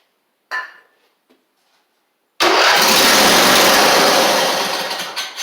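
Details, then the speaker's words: Husqvarna YTH24V48 mower with swapped engine, 304 hours, no choke cable hooked up: a couple of light clicks then harsh steady starter whirr, engine cranks but doesn't catch; fuel pump found pumping but bad, spraying. "It'll kick over, but it's not gonna, I don't think it's gonna pull any gas in."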